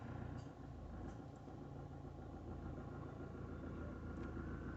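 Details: 2010 Opel/Vauxhall Astra J 1.7 CDTi diesel after oil, air and fuel filter service, fuel primed via in-tank pump by cycling ignition: steady, even diesel clatter at idle, no stumbling, hunting or stalling; no air in fuel, normal idle.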